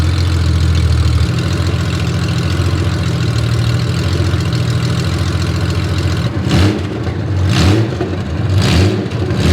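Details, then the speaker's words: Honda Gold Wing six-cylinder running on open header pipes to cure fresh VHT paint: loud, raspy drone with a rattly beat that cracks back on throttle blips. Harsh open-header exhaust note. "Oh, there. That is very loud. And I'll only say that cuz I'm not going to say that sounds glorious cuz I don't think it does. I think that sounds awful."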